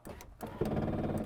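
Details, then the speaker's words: 2001 Saleen Mustang driver-side power window with faulty motor, before regulator and motor replacement: buzzing whir with rough grinding once glass bottoms out, motor keeps running instead of stopping, grinding or slipping. "think we got a problem s it doesn't want to stop on its own it's making that noise if it's it's grinding or slipping"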